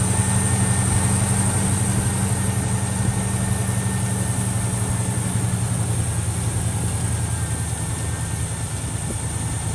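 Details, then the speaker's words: 1978 Pontiac Trans Am, 455 Olds big block with Quadrajet carburetor, cold start while warming up: steady, even, slightly raised fast idle with deep smooth exhaust beat; choke set correctly and slowly opening; normal cold fast idle. "funny as soon as you kick that thing on that choke went exactly where it needed to be it slowly start to open up warming up"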